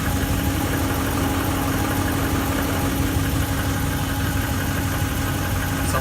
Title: Piston Slap/Tapping noice from 2015 Ram 1500 5.7 HEMI